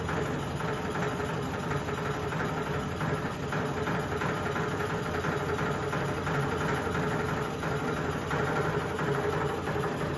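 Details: Sony ceiling fan, 2022 model, at full speed: loud, steady rushing hum with a faint irregular throb beneath it as the fan shakes and wobbles badly. Ceiling fan wobble and vibration.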